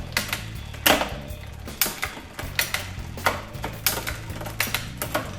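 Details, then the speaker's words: Bicycle with a 1x drivetrain during rear derailleur indexing: uneven sharp clicks from the cassette as the chain climbs and skips a cog; cable tension needs a small further tweak. "yeah this one wants to jump a little bit uhhuh you you've seen that"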